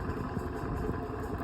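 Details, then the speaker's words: Vintage Dayton/Lasko 16-inch oscillating fan on medium speed: rough, uneven low rattle over the motor hum, louder than a healthy fan, weak airflow; quiets and blows well only on high speed; cause not clear. "rattles a lot. This fan is just awful. At least it's starting to blow some air, but it's not much."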